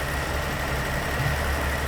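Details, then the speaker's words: 1980 Dodge D150 V8 truck after carburetor rebuild, still cold with choke on: smooth, steady low idle holding on its own without misses or surging; normal idle. "not much to see that's idle idoling look at that all right rock and roll"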